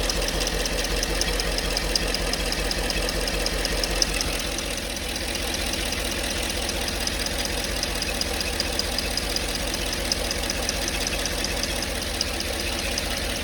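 Steady idle with a fast, even tapping ticking above it, about two or three a second, cause not yet pinned down.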